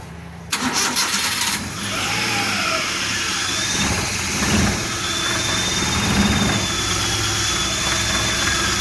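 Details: Suzuki after 3-month restoration (started as overheating), first start with new pistons, rings, cylinders, redone head, adjusted valves, timing set roughly: brief crank, catches and settles to smooth even idle with no knocks or misses.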